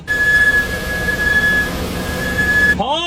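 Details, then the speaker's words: Thin, steady high-pitched squeal near 1.7 kHz every time the brake pedal is pressed; brake squeal, cause not evident. "听到没有？一踩刹车就吱吱响，就这个问题，你如果去修理厂，你猜他敢收你多少钱？"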